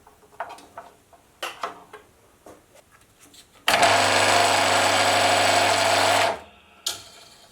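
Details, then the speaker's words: Hobby metal lathe with a sudden, increasing noise: busy rattling clatter over the motor hum, steady for a few seconds; the motor pulley was held only by its key, with no set screw, leaving fretting corrosion, likely the source. "but yep that could certainly be an ISS issue and that is probably the source of the sound"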